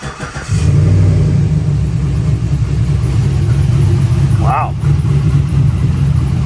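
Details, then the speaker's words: 2008 Chevrolet Silverado LS V8 after exhaust rebuild: stock manifolds, new Y-pipe/catalytic converter, custom 3-inch exhaust with inexpensive chambered muffler; starts and settles into a deep, even rumble with a brief rev, no rattles or drone; healthy exhaust note. "wow it actually sounds really good super impressed that buler was like 40 something bucks seems like a great deal to me"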